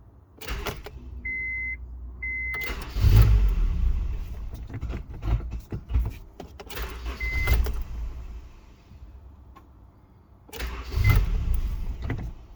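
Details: 1999 Honda CR-V: repeated cranking bursts with chime beeps between, engine barely catches then dies; intermittent no-start and engine cutoff, cause unknown.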